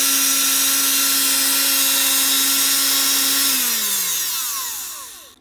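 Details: Bosch GBH 36VF LI PLUS 36V SDS hammer drill under warranty repair: motor hums steadily under harsh crackling hiss from brush sparking, then winds down; gearbox turns free, fault traced to burnt-out motor, to be replaced with new motor unit.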